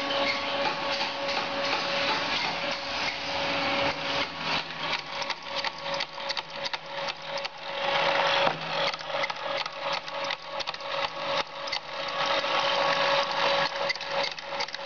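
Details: SteppIR antenna stepper motor on an EHU 6-40, running the tape from 6 m to 40 m (almost 12 m of tape): rapid rough clicking and rasping over a steady whine near 550 Hz. Abnormal, cause unconfirmed.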